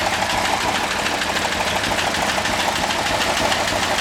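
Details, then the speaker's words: Lumpy idle on a newly bought rare car with AC and a 3-speed transmission, started without pumping the pedal: a sharp ticking puff about three times a second; a small exhaust leak is suspected but judged unimportant. "Sounds like you got a little Yeah, exhaust leak, but that doesn't matter."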